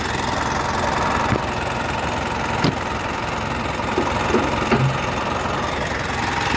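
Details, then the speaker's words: Mitsubishi Triton GLS with check engine light, recently rebuilt engine at idle: fast even top-end clatter over engine hum, attributed to valves (klep) sounding rough; cause suspected, not confirmed; valve train tappet clatter. "Teman-teman bisa dengar sendiri kondisi engine-nya itu ada noise noise-nya ini noise karena valep ya teman-teman."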